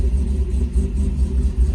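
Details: Freshly rebuilt LS V8, exhaust unhooked, cold at first: oil pressure 50 psi cold, voltage 14.2, AFR leaned out and in learn mode. Deep, steady, loping open-exhaust rumble with no knocks or ticks while warming up; normal idle.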